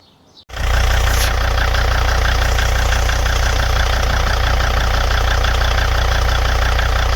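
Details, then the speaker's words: 2003 Volvo XC90 D5 diesel idling on new aftermarket mounts: heavy low drone with uneven shudder about four pulses a second; stiffer-bushed torque mount, likely petrol-variant part instead of D5-specific Volvo part, links engine directly to subframe. "The reason being is that this otherwise effectively acts as a direct link between the engine and the subframe, and that's what was causing all that horrible vibration that I showed you in those clips earlier."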